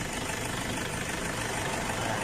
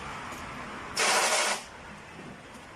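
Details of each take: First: Toyota Hilux Tiger D4D diesel, owner reports loud noise at morning start, poor pulling and oil consumption: loud harsh busy rattle at idle over a steady low beat; cause not yet pinned down. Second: Toyota D4D diesel that had a warning light, sluggish acceleration, stalling at idle and smoke, after repair and fuel pump system cleaning: a short crank, quick catch, then a smooth, even idle with no knock or stumble, said to sound factory-new.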